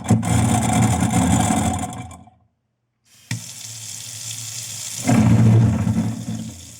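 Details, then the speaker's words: Garbage disposal with rusted, seized impeller lugs run about 30 seconds at a time, covered, grinding rib bones to free them; it roars and rattles with hard debris and water, pausing then grinding again, and the noise shows the lugs dislodged. "So, if you notice, that noise actually is a good thing. It sounds good that it actually dislodged there."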